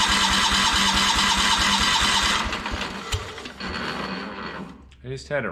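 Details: Kohler 14 HP engine in a Minneapolis Moline 114 Hydro garden tractor, run with the cover removed: hard, regular top-end knock at about three to four per second; not the cover, likely a worn engine that had not been starting.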